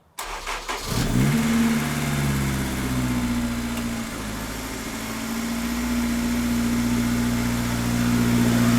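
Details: Honda S2000 after Ballade Sports timing chain tensioner and VTEC solenoid gasket install: quick start settling into smooth steady idle, no chain rattle or ticking, much quieter and less sticky than before; normal idle after repair.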